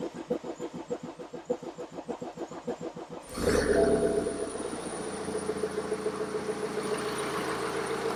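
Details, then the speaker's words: BMW F11 520d diesel started after cam cover gasket replacement and injector seat cutting, with the fuel system bled of air. About three seconds of even cranking, then it catches cleanly to a smooth, steady idle. Normal start. "Sounds good."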